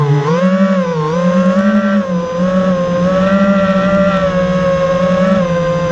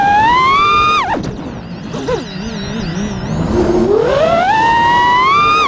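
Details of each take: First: Quadcopter drone with two failing ESCs (motors and flight controller already swapped without effect): motor tones waver and wobble, rough and vibrating in the carbon frame under throttle, not making full power; failing speed controllers, not motors. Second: FPV quad after replacing two failing ESCs with DYS 35A units, hover/flight test: clean smooth motor whine rising and falling with throttle, no frame vibration, resonance or rattle; motors spinning faster, running normally.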